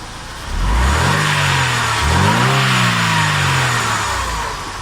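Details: Mercedes engine after cleaning and greasing the rattling belt tensioner damper with high-temperature bearing grease: engine blips up and settles back smoothly, no rattle from the tensioner; normal revving.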